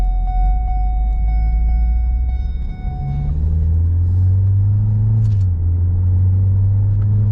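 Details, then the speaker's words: 2014 Ford Escape AWD 1.6L EcoBoost after transmission install: deep, steady droning rumble from underneath while driving, no knocking, louder over time; first thought exhaust leak, owner now suspects the power transfer unit (PTU); source not confirmed. "at first I thought it was an exhaust leak and I even noticed the sound that it was loud when I first test drove after putting the transmission into this vehicle. But it has gotten worse and worse and louder and louder over time."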